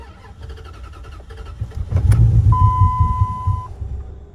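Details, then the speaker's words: Project vehicle from the salvage yard, first start attempt after priming. Labored cranking at about three or four pulses a second with a chime over it; the starter seems short on power. The cause is suspected, not confirmed. "what happened it doesn't have enough power it said [ __ ] you today not today"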